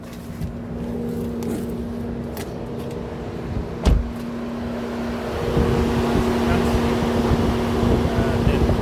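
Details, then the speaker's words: Mercedes-Benz W203 C220 CDI, towed in non-running with code P2364 and flat CAN bus, ignition on and engine off: steady rushing hum as the radiator fan runs at full speed, continuing even after ignition off; ECM suspected faulty, not confirmed. "As you can see, the fan is at its full speed operating."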